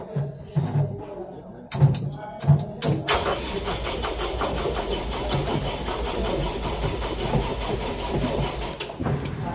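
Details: Diesel engine of an Atlas Copco XAYS 156 screw compressor unit, after rubber coupling replacement and engine timing work, third start attempt: a few ragged cranking bursts, then it briefly catches and runs roughly, struggling to start.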